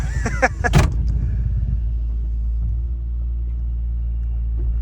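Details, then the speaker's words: Barn car started after sitting about 3 years, with a booster connected: brief clatter, then a deep, smooth, even idle with no knocks or misses; runs like a top, normal idle. "Oh, baby. Runs like a top."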